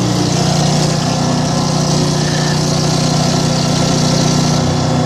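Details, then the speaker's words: Boat small engine started cold during winterizing, running while antifreeze is drawn through the motor; hard start, then a steady drone with a slightly uneven beat, rough running after cold start, owner thinks it needs a tune-up. "come on baby she's cold one looks like I'll be doing a tuneup on this come on baby come on there it goes"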